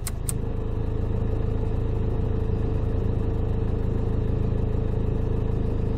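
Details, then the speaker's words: Dacia Duster engine, belt side at idle: low steady rattle about three beats a second, worse with lights off and the alternator unloaded, with engine vibration; worn alternator overrunning (one-way) pulley, fixed by replacing the alternator pulley. "wyłączę światła słyszycie dziwny pałac kurde chodzi tutaj z tej strony włączę wyłączę albo łożysko alternatora albo to łożysko kierunkowe czyli sprzęgiełko tak zwane"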